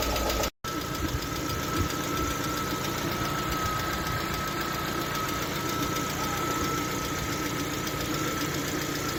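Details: Lada Vesta at 45,000 km, idling: a light, fast tapping over the engine note from the hydraulic lifters. Oil pressure was measured jumping, caused by a torn oil pickup ring.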